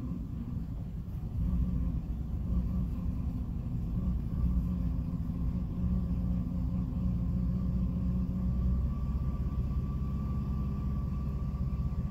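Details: 2006 Jeep Liberty at idle with A/C off, low deep rumble wavering unevenly instead of holding a steady beat; it randomly stumbles and nearly dies, cause unknown.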